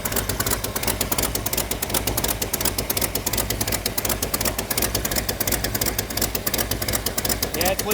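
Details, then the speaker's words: 1972 Dodge Dart Swinger V8, first run with a new engine, idles roughly with a sharp, fairly even ticking about three times a second; exhaust can be felt blowing out the side, a leaking exhaust manifold. "out of I can feel it blowing out of the side."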